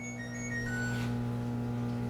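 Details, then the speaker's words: LG WT1101CW direct-drive washing machine: power button's falling chime plays yet the motor's steady low hum carries on after switch-off; the drain motor ran constantly due to a failed $2 relay (OMIH-SH-112LM) on the control board. "hear that humming sound that is the wash motor running why is it running got me turn it off"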